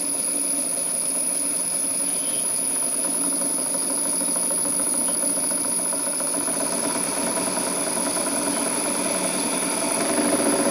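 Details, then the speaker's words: Rebuilt model steam plant on its first live steam test: initial knocking from the piston hitting water at each stroke end soon stops, then the small engine runs smoothly with an even quick beat, about three to four per second. "the knocking soon stops and the engine runs smoothly"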